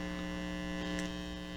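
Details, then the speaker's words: Amplifier through speaker, film capacitor installed with outside foil reversed (reading 48 vs 42): loud steady low mains hum with buzzy edge, constant; hum much higher when the capacitor is installed incorrectly. "So as you see, when I install it incorrectly, the humming noise is much higher."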